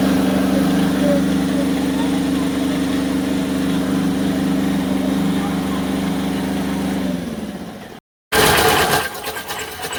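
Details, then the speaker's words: Tata Ace diesel before repair, with a kala-kala rattle and smoke complaint: a rough, uneven clatter at idle, then shutdown. The timing belt was found very loose, the timing likely out, and a pump bolt loose. "Pongal mechanic வண்டியோட complaint வந்து so sound வருது கல கல கல கலன்னு வர sound வந்து loose ஆகுன மாதிரி அப்பறம் புகை வேற தள்ளுது."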